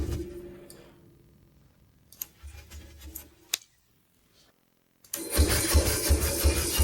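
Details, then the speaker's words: Abandoned scrap-yard Ducati motorcycle, first start with no key by bridging ignition wires on a messy harness: brief quiet cranking, then a firm, even rumble with steady firing pulses and no knocks; it sounds healthy as hell. "It sounds healthy as hell."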